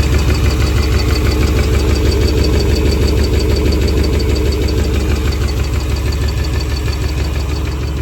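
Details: 1996 350 Vortec V8 with carb and HEI in an 1989 Chevy 1500, idling: crisp, even ticking about three per second. New rod bearings did not change it; the owner suspects valves set too tight, lifters or cam, or possibly piston slap, none confirmed.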